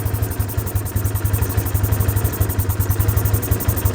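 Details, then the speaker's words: Vespa ET4 125 after 3 years stored, carburettor cleaned, idle adjusted via throttle cable screw: small single ticks over at steady even idle, about seven pulses a second, no misses; running nicely. "There, look, and you adjust that, you turn it anti-clockwise to slow it down and clockwise to speed it up for the tick over. We just set that, that's looking lovely. So that's running nicely now."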